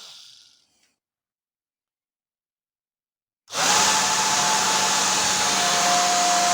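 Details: Old worn hair dryer motor bench-run with a 0.22 µF capacitor added: after a silent pause spins up to a steady high whine with rough crackling hiss; worn, sparking commutator, motor unfit for use.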